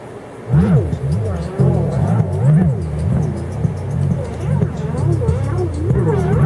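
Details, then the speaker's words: Sanyo RD-W41 dual cassette deck, about 1987, playing a tape it recorded: slow uneven seasick pitch warble while treble stays clear, from worn, slipping drive belts; recording itself seems fine. "oh man these belts are going well that's what a bad belt sounds like"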